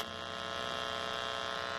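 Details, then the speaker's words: Quiet, steady, rough electrical buzz once the TV's 3.5 mm cable is plugged into the splitter that also feeds the SXM radio into an Insignia sound bar. Unplugging the third device and plugging straight in is the fix. "so what happens is it don't sound so bad and got the oligo but once you take this plug here and then plug the one that's going to the TV"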